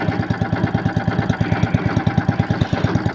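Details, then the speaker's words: Lifan 190F 15 hp single-cylinder engine on a motor-towing sled, knock appeared after it sat in the cold, warm: sharp metallic knock about three times a second over a lumpy idle when throttled; excessive camshaft end float from wear in the crankcase cover. "но только нажал Ручку газа и пошёл стук непонятный такой металлический Явный Сток"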